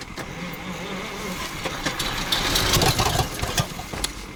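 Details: ZIL crane truck petrol engine after 20 years standing: tries to catch with uneven popping and sharp spits back through the carburetor; owner suspects too little fuel, carburetor and accelerator pump to be checked.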